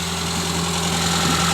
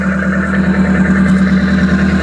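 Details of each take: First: 1984 Toyota Corolla AE86 with Weber carburetor and newer water pump, heard at the engine bay: smooth, steady idle with an even low hum, no misses, knocks or ticks; healthy engine. Exhaust is cut off with no muffler and rattles. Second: 1984 Toyota Corolla AE86 with Weber carburetor, steady idle: loud, raw, blatting exhaust with a coarse rasp and rattle; exhaust cut off with no muffler fitted, engine itself healthy.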